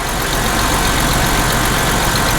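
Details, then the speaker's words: Copart car with 163,000 miles and check-engine light, just started, listened to for knock: even steady idle, smooth low rumble with no knocking or ticking; engine sounds healthy, though low coolant and some smoke from a leak noted. "I think the engine sounds pretty good."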